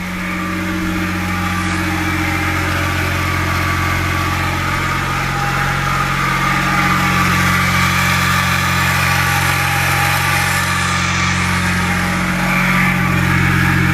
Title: E61 mechanical noise at idle